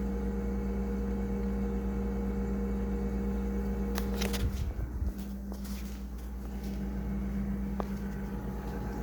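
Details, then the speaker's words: Frigidaire refrigerator running, with refrigerant suspected low: a steady low hum with a lumpy, uneven pulse and a brief rattle midway. The compressor is running rough and the noise recurs; the cause is not confirmed. "condenser as you can see and that sound going pretty rough shape going here eventually you'll start hearing the noise"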